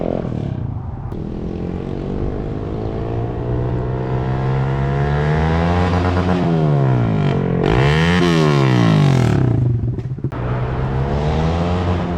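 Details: 2012 Honda CBR250R in neutral, straight-piped, after tank cleaning and new fuel pump: loud raspy open exhaust revs up and falls back cleanly several times over a steady idle; owner notes idle slightly weird but runs fine.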